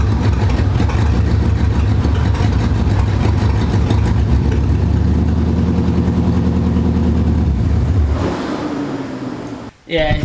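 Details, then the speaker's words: C4 Corvette V8 idling in drive after running on cats only with exhaust off, before the fuel pressure regulator swap: rough, uneven low thumping that stumbles and dies away, car shakes; misfire, owner suspects fuel issue, possibly regulator or fuel pump. "two uh Miss fire like when you put on drive like the car starts shaking I think it's a fuel issue"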